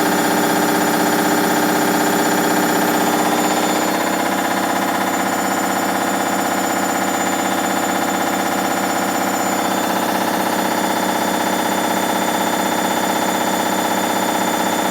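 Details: Hoover Dynamic Next DXA 48W3/1-80 8 kg 1400 rpm washer in spin: loud harsh whirring roar with a steady throb about four per second; suspected spider arm, bearings or overloading, not confirmed.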